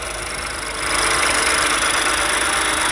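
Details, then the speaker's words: Ford 1.5 L EcoBoost turbo GDI engine, freshly rebuilt, engine cover off: steady busy ticking clatter about 3.5 per second over a smooth idle; described as normal noise. "you can hear how noisy these engines are even brand new now if i put the cover on it would quieten it down tremendously"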